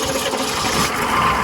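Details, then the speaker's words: Humvee after draining transfer case fluid, engine start: catches and settles into an even, steady run with no rattles or stumbles; clean, healthy start. "All right, let's see how smooth she runs now. Super. I'm gonna flick the key, it's just gonna fire right up."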